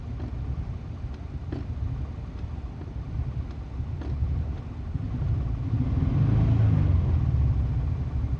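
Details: 2001 Subaru Impreza L 2.2 (EJ22E), manual, 155k miles: a low, lumpy idle with dropped pulses, cylinders 1 and 3 misfiring. Plugs, wires, coil pack and fuel filter replaced without a fix; a dropped valve guide was holding the exhaust valve open.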